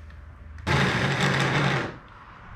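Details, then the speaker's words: Abandoned 1980 Datsun 720, second starter test on a jump pack: a short, strained whirring crank with a gritty, crunchy edge, spinning but sounding like it is barely hanging in there. Weak, crunchy cranking. "yeah she's working she sounds like she's barely hanging in there"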